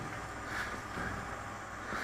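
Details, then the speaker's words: Easy Wood Tools mini with a used CI3 negative-rake cutter turning a resin-cast tumbleweed: rough cutting noise swelling into a pulsing buzz about every second as the piece turns. The cutter is chattering, and dullness is suspected but not confirmed. "Well, this one doesn't act like it's super sharp. I mean, it works okay, but you hear that vibration?"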